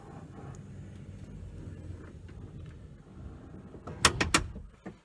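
Soft motor hum, then three or four crisp latch clicks in quick succession; the sliding door actuator is releasing and working normally.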